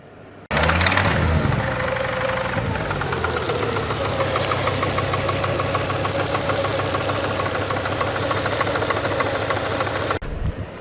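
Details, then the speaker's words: Ford Focus engine that made a funny sound while driving: fast, uneven metallic knocking over the running engine that never settles. It is rod knock; the drained oil was glittery and the engine is cooked, so it is being pulled. "yes, that is rod knock, and yes, I have dropped the oil to see how bad she is, and yeah, she's a bit on the proper cooked side"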